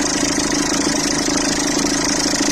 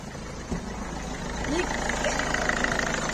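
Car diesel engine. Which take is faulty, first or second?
first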